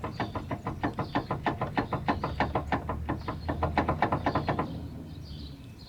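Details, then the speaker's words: 1999-2004 Nissan Frontier 3.3L / Xterra: rapid sharp knocks, about three a second, as the steering wheel is rocked, from a worn, loose front center drag link moving at the pitman arm end. "I think you can see that moving there that's what's bad now I want to shake the wheel really hard"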